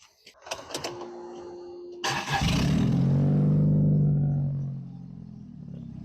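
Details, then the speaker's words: Sundance restarted after timing belt, water pump, tune-up and fresh oil change (about 4.5 quarts): brief crank, clean catch, flare, smooth even idle; oil pressure light goes out. Normal start. "There we go. Oil pressure light was on, then it went out."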